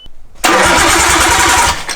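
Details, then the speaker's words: Nissan Skyline RB20 engine in a rebuild, after a missing plug was reconnected and power restored: even, quick cranking with strong regular compression pulses before it catches; healthy cranking, compression good. "all right this time we definitely have compression that's a healthy sanding ob20 boys"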